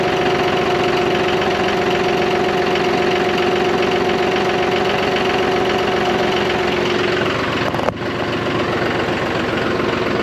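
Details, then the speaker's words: John Deere 5203 tractor with 512 loader, 740 hours, idling after milky hydraulic oil was dealt with by an oil and filter change: steady, even diesel idle with a constant low tone and no knocks or surges; runs smooth and healthy. "this old boy I bought this from me disappointed and now you just changed some oil and some filters and back in business ten thousand dollar tractor we fixed it"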